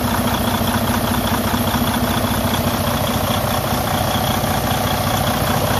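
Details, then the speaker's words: Freightliner Cascadia DD15 diesel at steady idle: loud rushing hiss and uneven puffing from the open oil filler, showing excessive crankcase blowby from a compression leak through a cracked cylinder liner. "today i'm going to show you what causes that problem a excessive blow by coming from the crankcase area"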